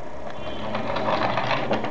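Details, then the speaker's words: Prusa i3 3D printer linear rod rolled down a tilted mirror: a slightly uneven, pulsing rumble instead of a smooth even hiss. The rod was later found to be about 0.3 mm out of straight. Bent linear rod. "if it rolls down evenly then it is straight and if you hear that is a bit uneven like this one it's even a bit too fast maybe"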